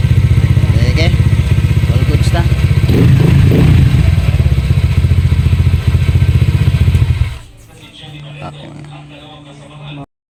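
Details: Honda Airblade with a JVT exhaust that had backfired due to a leaking, poorly welded pipe: a steady, even single-cylinder beat revs, then settles to a quiet idle with no popping from the exhaust.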